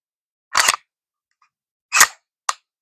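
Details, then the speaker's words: P320/M17 pistol, slide racked with about 1 mm of trigger pressure after reassembly: slide racks back and slams forward, then a sharp click half a second later; striker drops from slight trigger pressure. "You hear that click? Now it fires. One more time. Little pressure on your trigger. Clicks fires."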